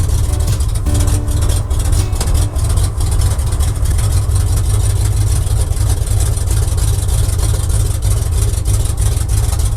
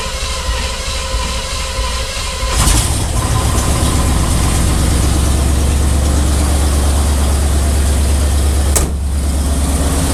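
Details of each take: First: Oldsmobile 350 Rocket V8 in a barn-find square-body truck, first start in 6 days on a cold day around 4 degrees, carburetor pumped, oil pressure about 30: deep loping rumble with an uneven, stumbling beat, barely running; rough running. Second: Square-body truck with Oldsmobile 350 Rocket V8, first start after carburetor rebuild, plug gapping and oil filter change: cranks briefly, catches cleanly into a deep steady idle, no misses or knocks; fuel leak at front noted.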